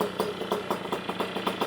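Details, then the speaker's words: Puch Maxi moped with full Polini 65cc setup, first run-in, warming up: small two-stroke putters at a smooth, even idle, slightly thin; owner suspects jetting slightly lean, needs more fuel. "So I think the idle is now turned on very smoothly. I think we still have to do something about the jetting. There's a bit of a shortage of gas, I think."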